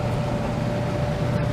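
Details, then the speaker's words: Stacked clothes dryer after a repair for poor drying and noise, with idler pulleys checked and lint cleaned out: a steady, even drum rumble and smooth low hum with no squeal or thumping. It runs normally, like new. "Start it up here. Just like it's supposed to. Sounds like brand new."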